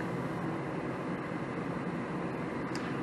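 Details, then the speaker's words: Goodman 80% single-stage natural gas furnace on a heat call after re-running the thermostat wire: inducer motor starts, steady even blower rush with low hum, no rattles or scraping. "all right there goes the uh the ignition or the sequence starting out thermostat call for heat inducer motors on"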